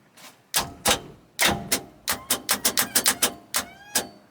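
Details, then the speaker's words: 1990 Cobalt 202 boat, engine locked up solid: turning the key gives sharp repeated clicks and clunks as the starter bendix engages the flywheel, with no cranking at all; starter reportedly new. "oh this thing's locked down there's no moving yeah yep [Music] nope this thing's locked up solid"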